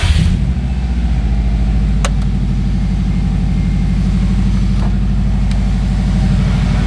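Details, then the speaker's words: 2005 Subaru WRX STI EJ engine after compression and leak-down tests and new spark plugs: quick crank catches at once, settling into a steady, deep, even idle with no knocks or misses; healthy engine. "Haha! Our healthy ass EJ lives. Not that I didn't think it would. I knew it would."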